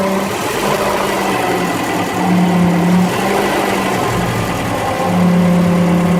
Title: [DSuper] : bruit pompe à eau